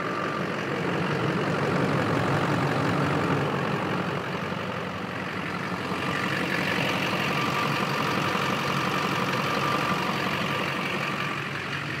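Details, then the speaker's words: Duramax LLY diesel pickup idling after MBRP downpipe install with the old gasket reused: steady low clatter, no puffing or ticking, no exhaust leaks at turbo, downpipe or front pipe. "all right we're good to go no leaks found"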